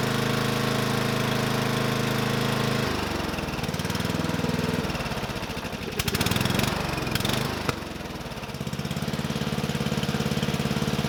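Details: Murray 12.5 hp 40-inch-cut riding mower that had stopped running, after fitting a new carburetor and air filter: steady idle, revs up and back down cleanly with no stumbling, returns to even idle; running good.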